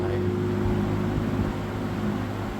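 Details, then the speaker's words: 1970s Electrohome 652-2C (Lakewood P23) box fan running on high, noted as needing oil: loud steady rush of air over a deep even hum with no rattle or wobble. Normal, strong running. "And let's put it on video. You can feel the ground shaking, and oh my goodness, what a breeze this thing makes."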